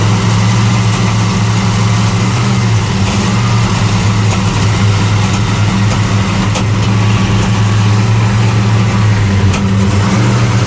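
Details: '75 Plymouth Roadrunner engine, after a carburetor fire: deep heavy drone that wavers and lumps instead of holding steady, backfires on throttle; rough running, cause not confirmed.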